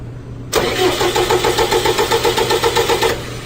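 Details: 4.4 common-rail engine disabled from starting, cranked while measuring voltage at the starter motor, 9.7 V against a 10 V floor: strong, even cranking, about four compression pulses a second for under three seconds, not firing; starter turns it over healthily.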